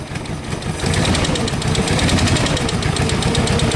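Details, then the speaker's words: 1948 Willys CJ-2A Jeep, first run after sitting 12–14 years, running a bit rich: rough uneven idle with stumbling beat and dropped firing pulses; engine missing on a cylinder, cause not confirmed. "sounds like it's missing somewhere"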